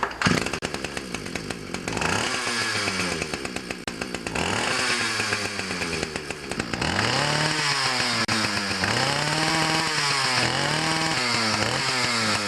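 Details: Ryobi 31cc two-stroke mini cultivator (rototiller), final start with choke after carburetor adjustment (it previously died when throttled up): it catches quickly and revs up and down cleanly with a crisp buzz and no bog, now running properly.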